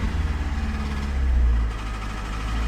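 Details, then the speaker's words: 2005 PT Cruiser engine after another shop's sensor job, refilled with oil and started on jump box: deep, heavy knocks under the idle blurring into a rough drone, heavy blowby; bearings damaged from oil starvation. "Oh, y'all hear that noise? >> Oh, no. Oh, so it's knocking."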